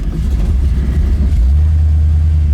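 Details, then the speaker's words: 1970 Camaro Z28, built 350 4bbl V8, headers, dual exhaust: deep, throaty rumble, steady and even, good idle for a cammed car; belt no longer squealing, earlier squeal thought to be from spray stuff put on it; healthy. "thing's got that throaty Z28 Camaro rumble, doesn't it? Yeah, I mean, this car sounds like two volcanoes arguing."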